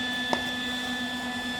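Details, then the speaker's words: Lincoln 180 amp MIG welder: constant high, piercing whistle of steady pitch over quiet fan hum, air whistling through cooling vent; before fix with air freshener placed at back vent. "so as you can hear this is unbearable this is horrible and it's coming from vent right here"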